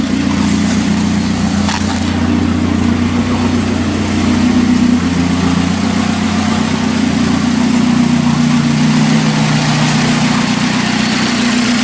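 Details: 1981 Alfa Romeo Spider Veloce, first run in about 8 years, exhaust section missing: steady even idle around 900–1000 rpm, smooth low hum with no misses or knocks, temperature mid-gauge; engine sounds healthy.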